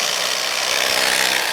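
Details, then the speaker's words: Cheap 3-inch cordless polisher in a comparison test: harsh, loud gravelly grinding at steady speed, like screws in a sink disposal, sounds like it will tear itself apart; gear rattle and grinding. "it's just it sounds like there's a bunch of screws in a sink disposal that uh it just sounds awful it sounds like it's gonna tear itself apart"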